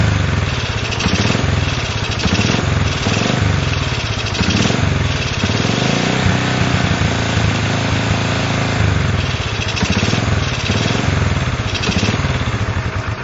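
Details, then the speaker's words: Honda CL70 small single-cylinder engine: revs roughly, bogs into a dead spot as the throttle opens and it sucks in air, then picks up. Jets already changed from 73 to 75 and 38 to 40, and the hesitation remains. "you hear that dead spot when it starts to suck that air in and bogging down and then it picks up"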